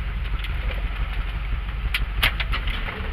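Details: Ford Ranchero 351 Windsor 5.8L V8, Holley 2300 two-barrel carb, FMX 3-speed automatic, cold (~150°), idling in drive around 650–700 rpm after tune-up, carb rebuild, timing reset: very soft, smooth, steady low rumble; quiet healthy idle.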